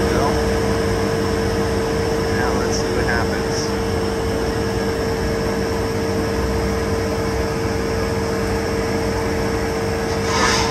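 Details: Recovery machine running on the vapor side of the system with a sight glass on its discharge, vapor recovered and coming out as liquid: steady compressor hum with constant mid-pitch tone, no knocking or rattling; working normally.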